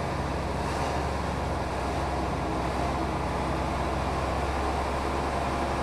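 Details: Mercedes O302 coach in perfect mechanical condition: steady deep diesel drone holding an even pitch, no knocking or rattles. Healthy running.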